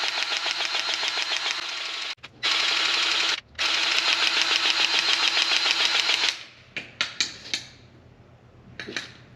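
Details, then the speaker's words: Chinese mini skid steer forestry mulcher lower bearing turned by hand while greasing: fast, crisp clicking about three or four a second, meaning grease has purged all the way through and the bearing is full. "You hear that little clicking? That's the sound of the grease has made it all the way through. So we're good on this lower one."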